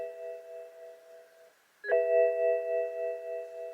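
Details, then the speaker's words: BMW soft top being worked by hand, with the Hall effect sensor wired outside the top frame: a bell-like warning chime repeats several times a second, stops and restarts as the top arm is moved. This is the top position warning. "so I want you to see you hear it Go dinging and everything"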